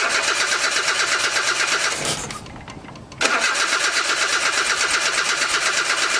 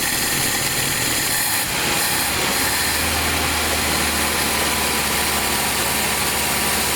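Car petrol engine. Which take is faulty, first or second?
first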